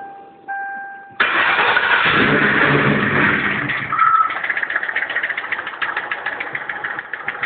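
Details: Mercury Marauder V8 after detonation broke a piston: starts and settles to idle with a heavy, regular knock about three to four times a second.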